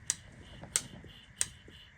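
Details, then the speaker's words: New replacement mechanical fuel pump for a Sunbeam Alpine, hand primer lever worked on the bench: four crisp, even clicks about every two-thirds of a second; healthy primer, pump working. "Really healthy primer. Um you can even hear You can hear it working."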